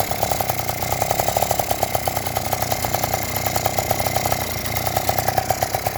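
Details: Yamaha Jog two-stroke scooter that wouldn't start, after cleaning the spark plug and tightening the cylinder head: steady quick popping idle, even beat, light rattle, holds without dying; idling fine.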